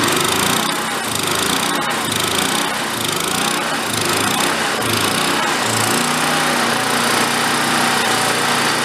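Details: Vintage Coleman Powermate 1500W generator, apparently long-idle unit revived, running with air cleaner off: steady even small-engine drone, crisp exhaust, no misses or knocks; normal running.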